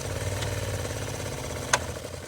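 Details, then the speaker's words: 2000 Ford AU Falcon, sat over 5 years, heater blower fan running: steady, rough whirring drone with a sharp crunch partway; very noisy because a mouse nest and debris fill the fan housing, later cleaned out. "Look at all that. It's like a full nest in there. No wonder it's so noisy."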